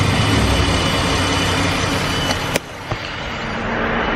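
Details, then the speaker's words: 2015 Dodge Durango Limited, 3.6L Pentastar V6, under 100,000 miles, after dealership repair of engine tapping/knock, camera right next to the engine: smooth, even idle hum with no knocking or tapping. "more that loud knocking doesn't sound like a diesel motor anymore so really glad I went and got that done"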